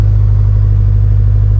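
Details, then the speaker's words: 2019 Subaru STI, 650whp stage 3 engine on E85, cold start idle at about 77°F: deep loud steady rumble from twin-scroll header, sounds like an exhaust leak but none found; maybe a cracked manifold; normal cold idle. "man this freaking uh twin scroll header is so loud it almost makes you think that the car has an exhaust leak"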